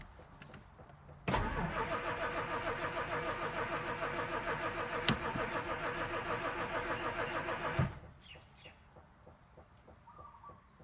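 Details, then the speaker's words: 1967 Jaguar Mark II off the road 20+ years, after valve cover and gasket work; starter cranks steadily about six seconds but never fires, and fuel leaks afterward; cause not confirmed. "It won't start. Not surprised. but I would like to see."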